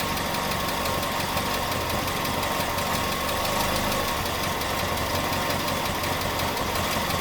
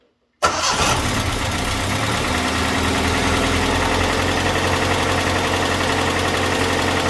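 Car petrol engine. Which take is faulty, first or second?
second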